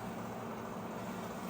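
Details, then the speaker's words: LG inverter microwave that clicked and didn't heat, after swapping in magnetron from old microwave, heating soup 30 seconds; steady low hum with faint buzz, heating normally. "It's working. It's working. It's working. Earlier it used to do clicking noise, no heating, but now okay, 30 seconds around there."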